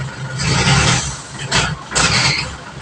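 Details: Isuzu Elf diesel that would not start, now running after repair with brief revs: steady low rumble, healthy; oil warning light still on, owner told to check oil level.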